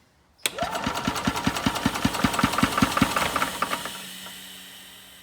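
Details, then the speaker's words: Older Yamaha golf cart, sat a couple of years, compression near 160 psi: steady cranking with even, strong compression pulses about two and a half per second and an airy hiss; plugged exhaust, maybe mud dauber nest, suspected. "air coming from somewhere now that we're actually pumping some air through the engine. I don't know if that exhaust is plugged up."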